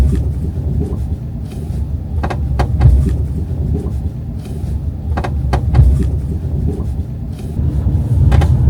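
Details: Subaru Forester driving, sharp creaks and ticks in pairs every few seconds over road rumble from the passenger-side B-pillar; creak returned after repair.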